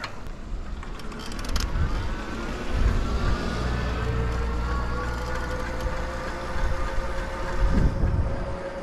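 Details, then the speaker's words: Lectric XP Trike e-trike ridden at about 7 mph: a thin steady squeal over the road rumble, rising slightly with speed, from the front brake; owner plans to order new front brakes. "let me turn around here so you can hear that that front brake"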